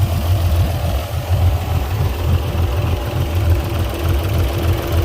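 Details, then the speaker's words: Port Yamaha outboard on a 385 Pursuit, running poorly, fuel uncontaminated, covers off: lumpy, shaking idle with irregular low thumps about once a second, as if a cylinder keeps dropping out; a misfire, cylinder not yet identified. "let's start just this one you can see it's shaking pretty bad"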